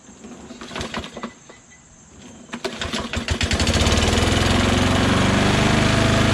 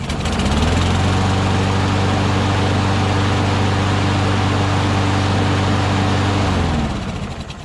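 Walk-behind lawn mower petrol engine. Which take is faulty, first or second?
first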